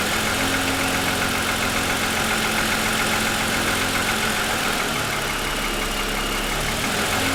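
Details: 2007 Lexus ES350, parked, hood raised, cold idle for ~10 minutes after start: hollow regular knock three to four per second over busy top end; owner says piston slap, worsened over 2.5 years.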